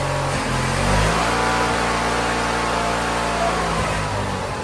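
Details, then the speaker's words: Weather-worn Wheel Horse GT-1600 WorkHorse Briggs engine at full throttle after ether, poor fuel flow suspected: fires, revs, then settles to an even steady idle without misses or knocks, running. "he's the runner not bad look at that got ourselves a runner that's pretty impressive"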